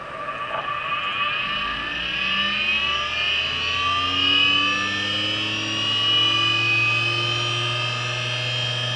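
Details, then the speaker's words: Late-1990s Seagate Barracuda 7200 RPM SCSI server hard drive, a second unit: loud whine climbing in pitch at spin-up with a droning buzz underneath; excessive vibration shakes the table and makes the drive skate across it. "So we can see this one's vibrating a lot more, to the point where I have to shout over it. And actually, it's shaking the table."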